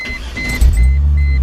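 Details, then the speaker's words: Chrysler Crossfire with an intermittent no-start, after reheating and resoldering three solder points: brief starter whirr, then the engine catches and settles into a steady, even low idle. Normal start and idle. "okay so now I got it all back together let's go ahead and try her out see if this thing's going to start up for us yeah we have success again"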